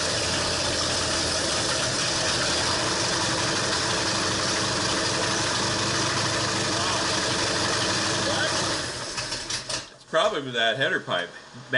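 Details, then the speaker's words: 1968 Ford Torino FE 390 with an Edelbrock top-end kit, on its first start after the rebuild: uneven, loping idle with a stumble as if a cylinder drops out; cause suspected, with no power to the choke and timing being checked. "well how come it's still lumpy do we have a lumpy here is this making it Lumpy"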